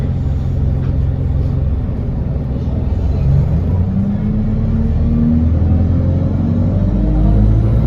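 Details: Engine noise of unknown cause on an Enviro 200 bus (fleet no. 37302): deep diesel rumble with a droning tone rising as the bus pulls away.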